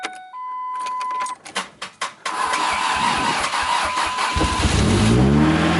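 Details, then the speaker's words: Truck's first start after an engine reinstall, manual clutch, treated old fuel, primed fuel pump: brief cranks, then a smooth healthy start; early smoke came from assembly oil burning off. "I've been letting it idle for about maybe 5 to 10 minutes. It was kind of smoking in the beginning, but it's kind of normal from all the, like, you know, oil and stuff burning off from assembly."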